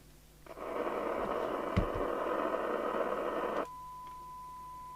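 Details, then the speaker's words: Spinneytonic CB199 UK CB27/81 mobile CB radio (fake Amstrad chassis) on the bench: flat rushing hiss with almost no signal, then a steady tone; poor receive sensitivity, 0.65 µV for 12 dB SINAD, IF and detector suspected well out of alignment. "oh it's dire absolutely abysmal at the moment we're doing actually 0.65 on the side not meter for 12 decibels which sounds like the detector is well out"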